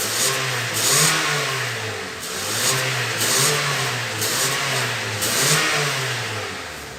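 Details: Honda New Civic after repair of a whistling sport exhaust tip (carbon-fiber-clad, stainless inside): engine blipped several times, revs rising and falling cleanly with a smooth exhaust note and no whistle; normal revving.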